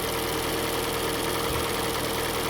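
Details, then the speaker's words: Kia Soul with a used engine from a wreck, just installed along with the transmission, still on its original oil with no coolant yet: smooth, even idle with a steady hum, no knocks or misses; healthy, no smoke. "well that sounds pretty good [Music] I'm happy with that [Music] no smoke everything looks good"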